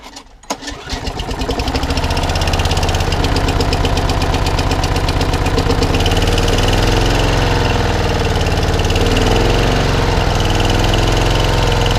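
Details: Mower engine not run for about a week, just finished, fourth blade now fitted: pulls to life quickly and settles into a steady, even run with only slight speed drift and no knocking; normal running.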